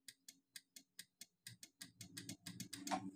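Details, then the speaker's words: Yamaha Mio J with electric starter failing, battery confirmed good; key on, starter pressed: sharp clicks about four or five a second, quickening, with no cranking; starter motor carbon brushes worn thin. "bunyi seperti itu bertanda bahwa Kol atau arang stater yang ada di dalam ini bertanda itu sudah menipis"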